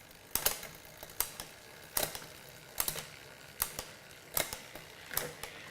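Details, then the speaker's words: Mountain bike drivetrain after post-ride wipe-down of chain, shifting up from the bottom gear: crisp single clicks about a second apart as the chain steps across the cogs, each shift clean with no grinding or chatter; normal. "Just starting from the bottom, make sure everything sounds good. Everything's clicking through the gears nice and smooth."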